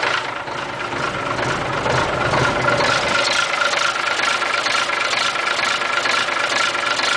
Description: has been sitting for years .. started it to make shore it would run before i buy it .. and started right up . good old mack s